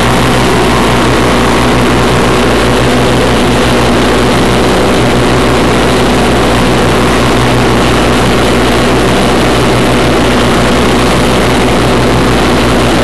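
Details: 1991 Craftsman GT6000, 20 hp Onan, first mow after deck lift eyelet bolt welded: loud, steady low drone from engine and blades under cutting load, no surging or bogging; normal mowing under load.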